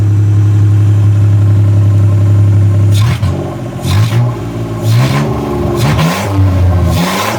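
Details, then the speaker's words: South Korean 800cc three-cylinder OHC microvan idling and revving with no muffler and no catalytic converter: raw blatty idle with deep throb, revs crackle and bark; small vacuum leak on the custom manifold noted; loud exhaust from missing muffler. "pretty noisy there's no Muffler no K converter so we're breathing raw exhaust"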